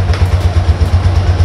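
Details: Suzuki Spin scooter that would not electric-start, after the battery was correctly installed: steady low putter at idle with even pulses and no knocks or rattles; the small engine sounds healthy.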